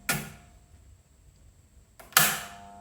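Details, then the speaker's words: Pottery kiln using a big contactor instead of a solid-state relay: two loud metallic clunks over a quiet hum as it pulls in and drops out, about every 10 seconds when cycling below 100% power; normal but loud. "clang so you hear that big bang you hear that once every 10 seconds when it's cycling below 100% utilization"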